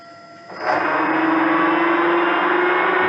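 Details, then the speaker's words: Colchester Triumph TR 2000 toolroom lathe (7.5 hp motor), temporarily wired via an inverter and run at 470 RPM before restoration. It spins up into a loud, steady gear whir, a noisy headstock with something clunking loose inside when slowing. Cause unconfirmed. "She's alive. Definitely got a noisy headstock. So, I'm going to have to inspect the whole thing."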